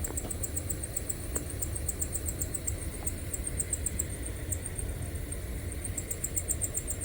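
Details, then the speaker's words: Maxxair Fan Deluxe RV roof vent fan on low setting, squeaking since new: high thin chirping squeaks about two or three per second over a low hum, like birds; motor bearing squeak, maker reports a bad batch of motors. "One is, from day one when I bought this RV, on the low setting, this fan would cause a constant squeak."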